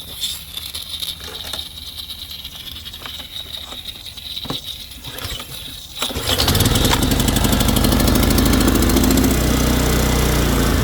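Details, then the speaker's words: Kohler 6.5 hp horizontal-shaft engine on Simoniz 3000 psi pressure washer, after carburetor cleaning from stale gas after years in storage: runs steady and even, healthy. "So put the choke on. All right, so that sounds good."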